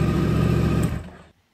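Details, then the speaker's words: Yamaha R1 with fault code 12 no-crank, starter solenoid jumped directly to the battery: short, deep burst of the engine cranking, catching and running, and code 12 gone; starter motor confirmed good. "so what that test tells us is that the starter motor itself is good"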